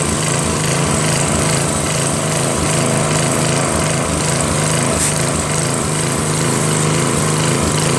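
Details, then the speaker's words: Northern Hydraulics pressure washer, Briggs 3.5 hp engine with vacuum fuel reservoir, unused 8 years; original gun, hose, wand and tip, rusted tip unclogged; engine drones steadily with spray hiss, no stumbling; runs normally, pressure weak, pump suspected. "see now stuff comes out I mean the pressure sucks but it's only three horsepower now it works"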